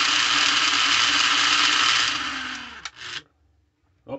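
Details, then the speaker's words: Lionel plastic-case Scout motor (#1110 2-4-2) after cleaning, testing the reversing mechanism: steady high whine cuts out abruptly after the direction change, then a couple of clicks; the reversing unit jams, which happens occasionally with these. "that jammed up there it's going to do that once in a while the nature of the Beast with these unfortunately"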